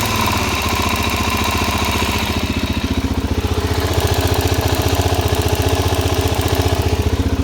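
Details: Suzuki DRZ400SM single-cylinder motorcycle, warm after about 50 km riding with gas in the oil, idling with a steady light ticking in time with the engine, which starts once warmed up.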